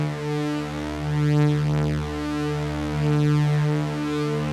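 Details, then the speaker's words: Yamaha CS-40M vintage analogue synth after repair: clean, buzzy sustained sawtooth tones with a slow sweep from both oscillators, both voices even and steady; the chopped waveform fault, tied to the output switch, is fixed. "A nice sawtooth waveform from both oscillators, both voices. All fixed."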